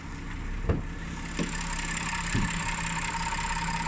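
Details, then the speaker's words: Audi A6 2.8 CHVA (2011–2016) at warm idle with the bonnet open: the ticking heard during cold warm-up is now barely audible under the V6 hum. Cause unknown, despite fluids, plugs and filters having been replaced at 100,000 km. "А вот если бы я ранее открыл бы, это цоканье было бы слышно прям очень сильно. Сейчас его практически не слышно."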